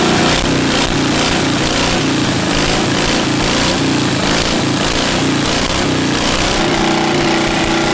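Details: 700cc twin-cylinder military standard engine built 1987, long sitting, possibly never run, repeat start after spitting a mud dauber from the exhaust: loud steady even chug, no knocks or stumbles; normal idle.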